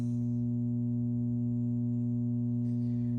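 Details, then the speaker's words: Hallicrafters SX-117 receiver humming only in USB/LSB, not AM: constant low buzzy hum; underfiltered lowest audio B+ line feeding the product detector, fixed by adding a 10 µF 250 V capacitor. "And it only hums when I put it into USB or LSB mode. So, AM, there's no hum."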